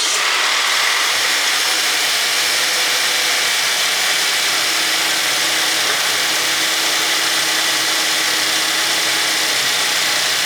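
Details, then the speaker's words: 2014 Buick Enclave 3.6L VVT V6, about 210,000 miles, idling after replacing ignition coils and spark plugs for a possible misfire: steady, even, quiet running with no ticking, stumbling or misfire. "Success. That's a pretty quiet engine for over 200,000 miles."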